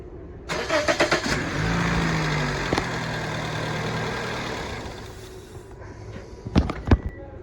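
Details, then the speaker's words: Vehicle idling on its pre-programmed tune with the MAF sensor plugged in but the air cleaner-to-throttle body intake tube disconnected. It starts and runs a few seconds with an uneven note, then sags and stalls, setting no trouble code. "so right now we have the MAF sensor plugged in but we have the tube from the air cleaner to the throttle body unplugged so we're gonna run the vehicle and see how it operates"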